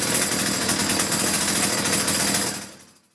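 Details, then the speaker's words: Two-stroke chainsaw after its reversed fuel lines were corrected, idle set so the chain doesn't move: fast, even burble holds steady for a couple of seconds, then shuts off cleanly. Normal idle. "you want to set the idle so the Chain's not moving"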